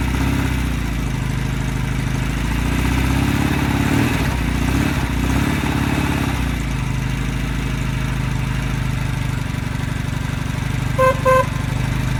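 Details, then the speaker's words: 1969 Norton Commando Fastback twin, first start after months laid up, with the wet sump drained, fresh 20-50 oil and a charged battery, at about 17°: a steady, even idle with a regular low beat and no knocks or misfires. It is a healthy idle. "Ooh, she fired. Or barked. Just going to give her another tickle. She's definitely barking."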